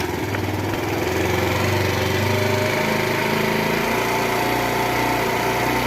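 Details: Wolf Islander 50cc Vespa-replica GY6 scooter, after a new carburetor and throttle cable: small engine ticks over loud and fast with a steady buzzy note, idle dips slightly then holds; running normally.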